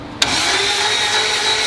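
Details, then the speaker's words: Mazda single-rotor engine build cranked at about 250 rpm on a compression tester; starter spins with a smooth even whine and no compression pulses; no compression, rotor found broken, possibly shock-loaded when transmission seized. "barely anything she's dead she's dead Jim she's dead sounded a little slow we don't have the 16 volt hookup but we have done this at 250 rpms it's just not making any compression"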